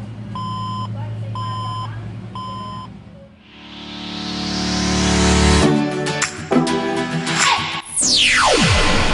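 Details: HP Compaq Intel Core 2 Duo slim desktop with no display: five long, steady, high startup beeps about one per second, a POST beep code; cause not confirmed.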